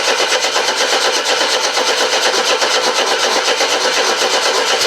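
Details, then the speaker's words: Mercedes W123 petrol car, long parked, little petrol added: fast, even starter cranking that turns freely but never catches or fires; owner suspects the fuel has drained to the back of the tank. "it's never as easy as to Hope is it i' expect all the petrol is drained all the way to the back as I did can smell a bit petrol why aren't you firing"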